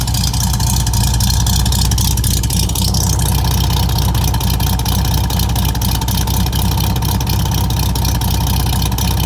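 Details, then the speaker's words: 1964 Volkswagen Beetle, restored, converted to 12 volt, with dual exhaust: the air-cooled flat-four revs with an even, deep, strong burble, holding steady with no knocks or misses. Normal revving. "Hopefully you can hear how strong that motor is."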